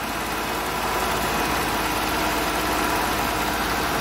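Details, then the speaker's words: Honda truck with code P0108: smooth constant engine hum holding one speed; the earlier up-and-down revving is gone and the engine feels decent. Normal running. "y pues ahorita ya el motor se siente decente ya no se siente que está en la revoluciones para arriba y para abajo"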